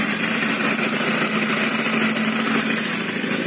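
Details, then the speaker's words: Idling two-stroke scooter with variator, after reassembly and bearing replacement: steady high-pitched squeak, constant in pitch, appearing only once warm, absent when cold; owner suspected a bearing but ruled it out since the wheel is stationary, source unclear. "я сейчас все собрал у меня падшими у кого и стоит середине мечтали и вот когда нагрелся появился холодный не было вообще"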